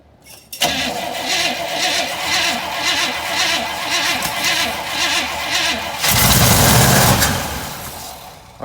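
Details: 1958 Chevy Biscayne 283 V8, good battery and fuel pump, cold weather with snow: steady cranking at nearly three beats a second for five seconds, then a brief rough catch when the choke was opened that dies away. Cranks but won't start.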